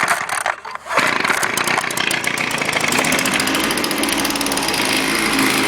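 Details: Echo two-stroke with i30 easy starter, cold start: a few pulls, then it catches and settles into a steady, even buzzing run; it starts cold and runs fine.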